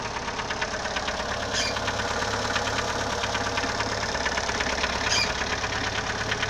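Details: Idling CHT engine with a sharp, regular knock about three per second, source not pinned down; valves already adjusted, timing belt replaced and bottom-end clearance checked, owner still unsure of the cause.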